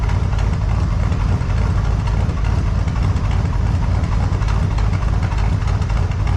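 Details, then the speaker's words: 1978 Chevy C10 with a 454 big-block V8, warming up at idle in the shop, in the session to cure an engine tick; deep, steady, even idle with no ticking over the rumble, tick apparently gone. "don't sound too bad I think we got her"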